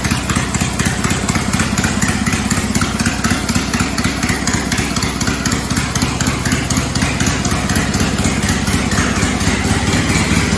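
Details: Cub Cadet 482 tractor, swapped 12.5 hp Briggs opposed twin with rebuilt carb, no mufflers: loud, crisp open-exhaust popping at about four beats per second, steady and even throughout, sounding like an old 4-cylinder Farmall; healthy.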